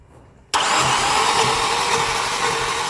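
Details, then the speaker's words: Starter cranking on a 2015 Infiniti at 123,000 km with a shaking engine, misfire despite new plugs and swapped coils; compression test shows cylinder 2 has almost none, weak pulses with no jerk; a valve may have rotated. "Якась не уже шість раз вже поміряли. В другому взагалі щось погано з компрессією."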